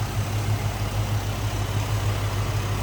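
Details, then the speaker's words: 1991 Ford Mustang LX convertible, 5.0L High Output 302 V8, stock engine, about 46,400 original miles; deep, steady even burbling idle with no knocks or misses, smooth running and sounds good: normal idle. "running too. Sounds good."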